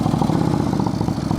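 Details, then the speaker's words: Motorcycle idling unevenly with irregular pulsing and sputtering from a vacuum leak, after new spark plugs were fitted; once fixed it idles correctly without spitting. "listen you hear that that's a vacuum leak"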